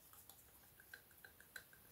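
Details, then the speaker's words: Worn EGR valve shaft on a BMW 530d F10 N57 at 165,000 miles, valve moved by hand: faint light irregular clicking rattle; shaft wear makes it stick, motor struggles and triggers a drivetrain fault. "can you hear this I mean if this shaft is good and new you will never hear that rattle"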